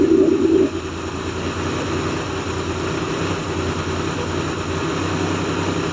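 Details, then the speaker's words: 1990 Toyota truck, first startup after repair work: engine idles with an uneven, lumpy beat under a steady drone, not settling; still rough though maybe better, one cylinder to be compression tested; cause unconfirmed. "Okay. So, it's still not running perfect. I think it's running better than it did. Johnny doesn't think so."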